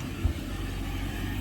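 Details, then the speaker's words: Volvo Penta 5.7GI marine engine that would not start: a steady, low, even rumble after replacing the plug wires, which were bad, with one apparently arcing to the block and clicking. The cap and rotor were also corroded. Now running smoothly. "But you see it's starting now. So, it ended up being the plug wires."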